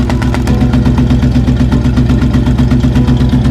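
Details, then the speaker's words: 1966 Ford Bronco with a 351 Windsor V8 at idle, paper exhaust test: the paper blows steadily out, with an even chuff at about 160 pulses a minute and a low rumble. Healthy bank; the other bank sucks in, suspected exhaust valve or pushrod failure. "and as you can see, you have the paper is steadily blowing out. It's not sucking the paper back in. This is actually the good bank, I suspect."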